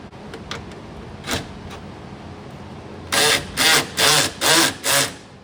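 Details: 2000 Chevrolet Camaro power window after adjusting the regulator tracks to cure a loud clunk: five short, even motor whirs with clean starts and stops and no clunk or grinding. Normal power window operation.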